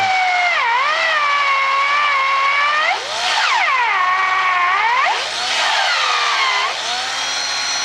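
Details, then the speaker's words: Old cordless drill-driver on a homemade transformer power supply (used parts, 50 A diode bridge) replacing its dead battery: steady high motor whine dipping and recovering with trigger, runs normally, slightly weaker than on battery but enough for drilling. "в принципі достатньо трішки слабіший він чим від акумулятора але для мене цього достатньо"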